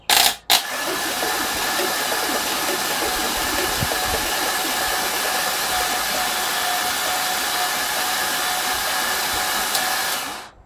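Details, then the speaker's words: Freshly built LQ4 V8 cranked on a hoist before install, flywheel only and no spark plugs, to check oil pressure, which is reaching the sender: an even starter whir at steady pitch, quieting a little, probably as oil fills the lifters. Normal cranking. "i just figured i'd take a quick video of it cranking over just because no it's fun so here's a couple seconds of it cranking over"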